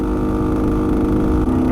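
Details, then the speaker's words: Bultaco Alpina 350 two-stroke on road test at low revs, rough droning mechanical undertone present in any gear, neutral or clutch in; gearbox seems fine, rider suspects worn bottom-end crank bearings, unconfirmed. "pulling all right it's riding all right it just doesn't sound right well i hate to say it but it's kind of a bearing noise um so i think the bottom end bearings might uh have a spot bother"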